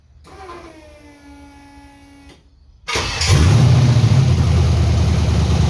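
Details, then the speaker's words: LS-swapped 1979 Ford F-150 dump truck being chased for a misfire, cylinders possibly flooded, mass airflow sensor later found unplugged: starter whirs, then loud lumpy uneven V8 rumble that never settles; rough running after start. "That doesn't sound good. Wonder if that's cuz the cylinders were flooded."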